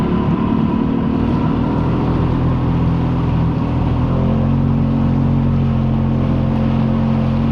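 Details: Yamaha XLT1200 jet ski on its first run on the water after a full engine rebuild; strong, even two-stroke drone with a steady low tone under wind and water, no misses or knocks; the engine runs healthy.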